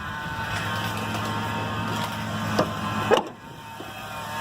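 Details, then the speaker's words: 2000 Ford Ranger 3.0 V6 4WD idling after power steering pump replacement with a refurbished unit: steady thin whine at constant pitch, just as whiny as the old pump though steering works; power steering pump whine persists. "the bad news is the refurbished model from advanced auto is just this whiny as the one that was on the truck"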